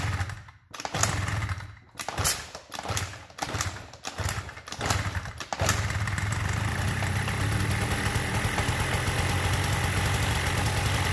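Several short, uneven catches, then the little two-stroke settles into a steady, even idle with a smooth buzzing note.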